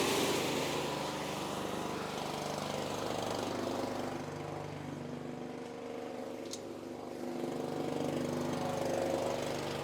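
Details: Small gasoline engine on a compressor found with the 1987 F350 auction truck, started after finding its fuel tank: a steady, even drone at constant speed with no knocks or misses. It runs fine; one fitting may be leaking pressure.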